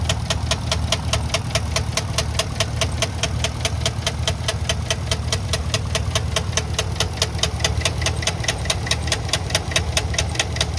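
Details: 2013 Chevrolet Caprice 2WD sedan, engine knock, sold as a tow-away: sharp, even ticking knocks at about two and a half per second at idle, standing out clearly over the engine.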